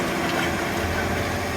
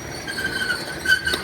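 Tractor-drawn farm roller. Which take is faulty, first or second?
second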